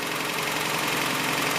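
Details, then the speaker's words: 1984 Toyota Celica GTS RA65, 22RE four-cylinder, idling after valve cover gasket replacement for oil leaks, warming up before a test drive: smooth, unbroken idle with no knocks, ticks or misses; sounds normal. "let it run for a little bit anybody hears anything weird or is there anything let us know sounds normal to me"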